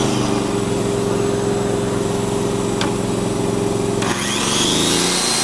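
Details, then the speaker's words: Honda EG2800i/EB2800i inverter generator (2800 starting, 2500 running watts), started on choke, with a shop vac and circular saw plugged in: switched to eco mode, it drops smoothly to a lower, quieter, steady economy idle. "So now I'm going to switch it into eco mode. So you can hear the difference."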